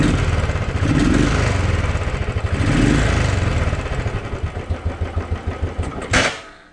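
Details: Royal Enfield Thunderbird 350 before carburetor cleaning: the single thumps unevenly and stumbles when revved, then falls back to a ragged idle. A dirty carburetor is causing the bogging, and cleaning it resolved the issue.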